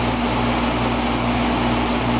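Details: 1995 Fedders window air conditioner, never serviced or recharged, heard from inside while cooling: steady even drone with constant low hum and airy rush, no rattles or squeals; window AC running normally.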